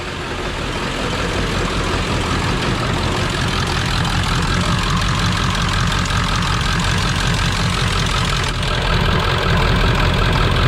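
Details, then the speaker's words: 1999 Ford F450 Power Stroke diesel, warm day, after injector repair attempt: heavy lumpy idle with one cylinder dropping out every cycle; dead miss from a non-firing injector persists. "I can tell you that it has not fixed the Miss yet we've still got a dead miss"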